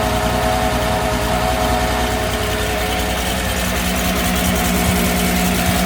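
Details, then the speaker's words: Mercedes SL320 that hadn't run for 3 years, previous installers broke wires: uneven lumpy idle with stumbling beat and occasional pops; starts and runs but not on all cylinders. "okay but it does start it does it does start it does run it does not run on all cylinders which is a huge problem"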